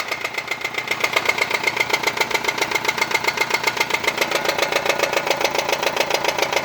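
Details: Nissan Sunny engine at idle with sharp, bright, fairly regular metallic tapping at about 220 per minute. Described as internal; the exact source is not pinned down. Engine knocking.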